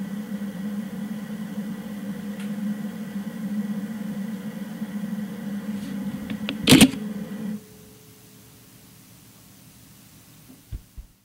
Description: Nikon 18-55mm VR II DX AF-S G Zoom Nikkor Lens emitting a strange hissing noise in Live View on my Nikon D3300.